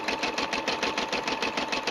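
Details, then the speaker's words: Brother SE 350 embroidering; quick, even needle ticking about six or seven stitches a second with a light steady hum, described as nice and even. Normal stitching run. "Listening to the machine, you can hear the sound is nice and even."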